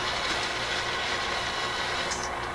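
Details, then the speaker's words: RCA Victor A24 vacuum tube radio during shortwave alignment: a steady, gritty crackle and hiss with no program behind it. This intermittent noise returned after briefly clearing and seemingly does not affect operation; source not traced. "Doesn't seem to interfere with the operation of the radio. It just seems to add this noise and stuff to it."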